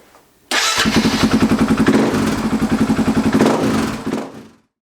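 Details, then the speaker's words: Husaberg FX450 after installing a Dirt Tricks timing chain tensioner to cure cold-idle knock from the failing stock hydraulic tensioner: fires up and idles evenly at about three to four pulses a second with no chain rattle; knock gone, normal idle. "so let's fire it up and see how it sounds I don't know about you but I don't hear any noise [Music] the noise is gone"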